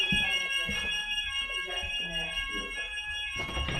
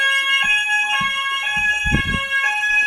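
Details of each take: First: Fire alarm in a pre-school, open plan now divided into corridors and rooms with doors: faint steady alarm tone under room noise and footsteps, barely audible; sounder too quiet to carry into the partitioned rooms. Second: Old preschool fire alarm sounder that had no sound, after a quick fix, one of two repaired: a loud, steady electronic alarm tone with a high warbling pitch holds throughout. The sounder is working normally.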